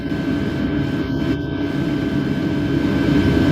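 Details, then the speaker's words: Birch RV diesel heater at highest 5,000 W setting, fan at maximum, drawing a constant ~50 W from a power station. Steady fan roar over even burner rumble, no surging or pulsing; normal operation at maximum setting. "I think at a constant 50 W at the highest setting, the fan at the highest setting."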